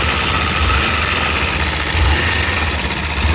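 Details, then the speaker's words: Kawasaki (Modenas) Ninja 250RR with auto cam chain tensioner already fully extended: dry fast metallic rattle over the exhaust as revs rise, still sounding like tensioner noise when revved; owner suspects a serious top-end fault, not confirmed. "Tapi still ada bunyi tensioner. Bila kau rem, dia bunyi rattle."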